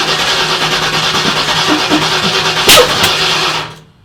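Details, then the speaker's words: Turbo car on E85 with dual-sync distributor, first start attempt: rough uneven cranking with a sharp backfire near the end; timing way off because spark plug wires were in the wrong order. "backfire yeah that'll wake you up we're missing something here you're definitely getting some fire juice coming out because you backfired yeah time is way off though"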